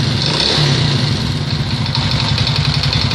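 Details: Alfa 110 moped engine after crankshaft replacement, idling unevenly with a rough, irregular knock under the exhaust beat; knocking at idle, cause not found.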